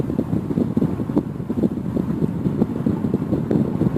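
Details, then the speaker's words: Honeywell tower fan after lubricating the top and bottom with WD-40: a steady, low, airy rush with a soft flutter and some mic wind, spinning freely at full speed and sounding healthy. "Now it's going full blast. I mean, full blast. I don't know if you can hear it on the microphone, but it's really going."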